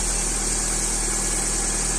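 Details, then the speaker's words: 1.5-litre car engine started on a fully flat battery (about 6 V) using a 7500 mAh portable jump-starter booster; steady, even idle hum with no knocks or misses; normal idle. "запущений все справно працює"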